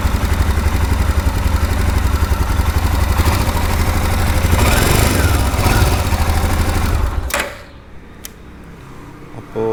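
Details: Royal Enfield Himalayan 411 after its 5th service (oil and filter change, chain cleaning): even, steady low thump at idle, no knocks or ticks, then engine cuts off; sounds healthy.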